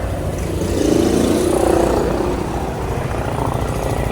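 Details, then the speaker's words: Suzuki Gixxer 150 FI after tune-up with valve clearances set and gasket maker applied; single idles with mild rise in revs and no sharp top-end tapping, the earlier ticking gone; normal idle. "Ayan, wala nang ingay, oh. Okay, wala nang lagitik."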